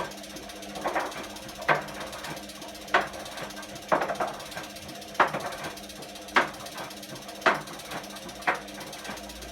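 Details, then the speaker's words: Bosch Classixx 6 Varioperfect washing machine WAE24167 motor with refurbished commutator and new brushes, after RCD trip and burning smell: irregular clicks every 1–2 s over quiet hum; owner wonders if a commutator bar popped out. "i refurbished a commutator and put brand new brushes in it you can hear that it sounds a little bit clicky"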